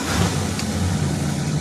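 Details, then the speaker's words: 1966 Plymouth Fury II on a cold start after a spark plug was cleaned: steady, even low rumble with no stumble or shake; the earlier misfire and shaking are gone and it idles normally. "It's not misfiring anymore. She feels like she's running perfect."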